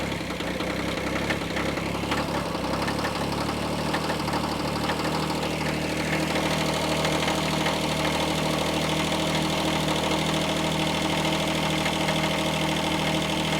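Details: Kubota B7100 diesel tractor, new cheap group 51R battery, idling after a cold start while charging voltage climbs as the dynamo warms: steady, even diesel clatter, no misses or surging; normal idle.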